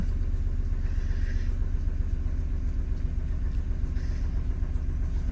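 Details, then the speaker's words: Opel Astra H misfiring and lacking power, fault code P0302 (cylinder 2 misfire), ignition coil module to be checked and replaced: low, uneven idle rumble with stumbling, irregular beat instead of a smooth pulse. "зараз запущу продемонструю троїння мотора"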